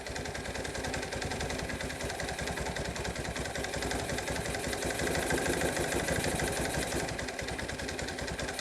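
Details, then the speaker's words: 1986 Kawasaki KLT185 three-wheeler, long-sitting, revived, after a failed rev-up: single cylinder idling roughly, about three stumbling, varying pulses a second; owner suspects a partially stuck choke or a worn-out carburetor. "baby steps baby steps I don't know the choke might be stuck partially I don't know yep carburator is probably shot"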